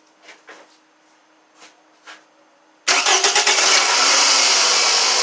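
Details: 2009 Toyota Camry with brand-new alternator fitted after whining old one, 12 V key-on engine-off: quick crank, clean catch, smooth steady idle with no stumbling or squeal; normal start and idle.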